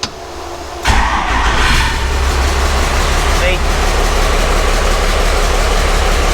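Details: Truck recovered from the woods seven months earlier, freshly reassembled, refired after its first fire: sharp catch on the starter, then a steady, deep, even idle with no knocks or misses; healthy cold engine.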